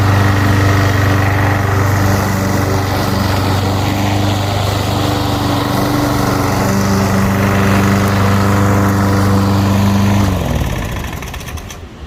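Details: Small lawnmower engine, freshly drained and refuelled with new gas after carburettor cleaning and reassembly, runs steady and even at constant speed for ten seconds, then is shut off and winds down; running normally.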